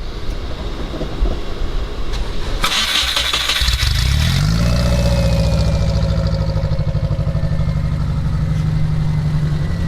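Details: 1976 Volkswagen Kombi at 100,000 km, broken down, after soldering a dodgy wire with immobiliser light checked; starter churns about four seconds before catching into a low, steady, slightly lumpy idle. Long cranking before start, cause not confirmed.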